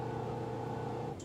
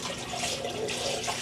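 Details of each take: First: Magic Chef 1.7 portable washer after five years of use: steady mid-pitched electrical hum as the motor is energised during the spin stage, then cuts off abruptly; the drum never turns, motor won't spin. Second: Magic Chef 1.7 portable washer, five years old, on spin: steady low drain pump hum under strong gush of water pouring out; drain pump works normally though the machine has otherwise failed.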